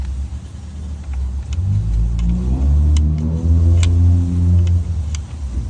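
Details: Dodge Ram 1500 at idle with light metallic rattling that grows louder and quicker when revved; suspected timing chain noise, not confirmed.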